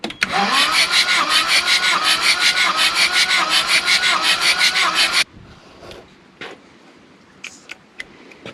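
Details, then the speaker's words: CAT 226B skid steer diesel, engine previously pulled apart, glow plugs removed, compression gauge fitted: starter spins fast and dead even with no compression chuffs, gauge reads about 0 (over 400 wanted); no compression. "Alright, so we pretty much have 0. Alright, let's try again."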